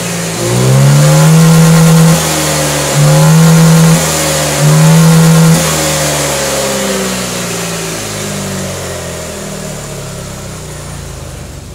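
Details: Honda Vario 125/150 injection scooter that stumbled and wouldn't pull on throttle, after throttle body, air filter and settings cleaned/adjusted: three crisp throttle blips climbing and dropping cleanly, smooth settling idle; revs healthy.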